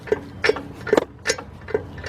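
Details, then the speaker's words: 2003 Lincoln Navigator 4WD, front raised on jack stands: sharp regular clicks at two to three per second as the front wheel turns. Worn CV joint, and the other side is also going. "that's actually I got to let the customer know this know this four-wheel drive that noise is coming from the the CV joint"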